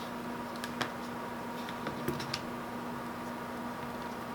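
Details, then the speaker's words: Hard drive connected through a Vantec SATA/IDE to USB 3.0 adapter and powered on by switch: a faint steady hum rises and holds, with a few light clicks as the heads settle. Normal spin-up, and the drive is recognised. "Hear the hard drive spinning. Yes, and there we go."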